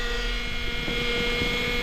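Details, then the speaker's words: 2008 Honda Accord four-cylinder with high idle from a split intake duct vacuum leak: steady high whine over idle from the power steering pump, fluid low and foaming as it sucks in air. "See all the power steering fluid? That's the noise you're hearing right now. It's your power steering pump. It's probably low. It's foaming real bad."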